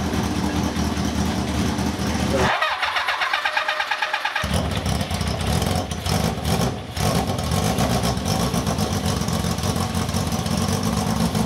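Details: Cafe scrambler project bike running for the first time in 21 years after a carb rebuild and rewiring, silencer insert removed: cranks, catches and runs with a loud, raw open-exhaust bark under throttle blips.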